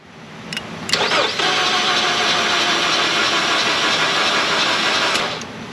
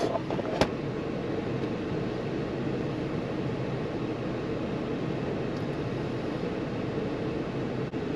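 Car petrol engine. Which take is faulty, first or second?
first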